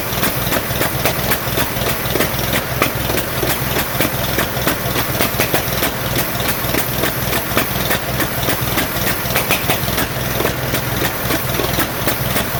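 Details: 1947 Farmall M tractor, first start after rebuild: uneven lumpy idle, irregular beats and firing gaps; running on only two cylinders, carburetor popping, no power; later found plug wires reversed, fixed.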